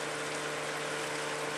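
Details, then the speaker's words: Whisper Flow variable-speed pump stepping up to speed three of four: soft even airy whoosh and faint hum from the motor cooling fan, which needs more fan as speed rises; much quieter than a traditional pump, normal running. "as it gets faster needs more fan here's speed three still much much quieter than a traditional pump"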